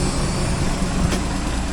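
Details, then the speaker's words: International DT466 diesel in an auction-bought crane truck, just after its first start: deep, even rumble holding a steady speed with no misses or knocks, strong and healthy idle. "You just can't beat a DT466."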